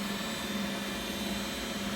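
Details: Beko WX842430W front-loader, possibly 2017, on spin cycle: steady even whirring rush with faint constant hum, no wobble or knocking; normal high-speed spin.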